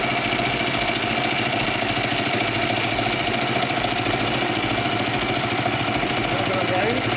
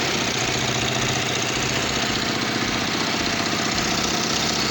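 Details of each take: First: Kawasaki Vulcan 500 twin at working temperature, after carburetor repair and synchronization: even, steady idle with a smooth beat and no misses or hunting. Carburetors balanced, running perfectly. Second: Kawasaki Vulcan 500 twin idling before carburetor synchronization, after intake rubbers were checked for air leaks: an uneven, lumpy beat with a hissy top end. The vacuum gauges show the two carburetors totally out of sync.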